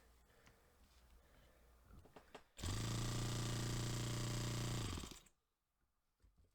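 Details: Saito FA-45 Special on first run after a full strip and rebuild with new bearings, on a test stand, 10% nitro, carb on initial settings and not yet tuned. A short burst of high buzzy revs jumps up, holds, then dies away; slow throttle response.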